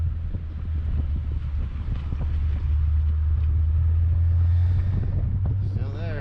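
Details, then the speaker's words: Turbo BMW straight-pipe exhaust with cheap resonator, idling in drive after fixing rattle by replacing failed Flowtech Raptor mufflers and correcting heat shield and installation. Deep steady burble, even and clean, no rattle or buzz; normal exhaust at idle. "now you can't judge that that's the sound of the exhaust just coming out that's that's just the rasp that is bmw when you have a straight pipe and just a very crappy resonator in place"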